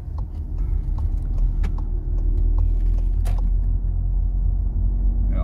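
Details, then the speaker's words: Seat Leon 5F driven at low revs, vibrating; the rattle had returned as autumn temperatures dropped: low, even engine rumble, no buzzing or ticking from the cluster; no dashboard rattle. "untertourig dynamischen vibriert aber nichts zu hören vom tacho"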